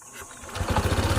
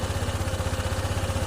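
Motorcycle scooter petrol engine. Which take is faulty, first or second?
second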